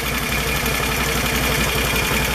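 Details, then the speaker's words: Can-Am ATV after CVT clutch slider shoe replacement (one-way clutch rebuilt, new belt): even idle with steady pulse and no metallic rattle; the old worn slider shoes' clattering is gone. "that is amazing fifty dollars shuts all that rattle off wow i could have done that two years ago"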